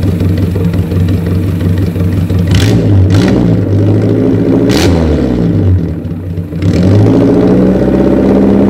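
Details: 1983 Suzuki Jimny SJ410 with rebuilt stock F10A engine, Aisan carburetor, straight-pipe exhaust, after cold valve lash set to 0.10 mm intake and 0.15 mm exhaust: revs cleanly through quick throttle blips and drops back smoothly, even beat, no ticking.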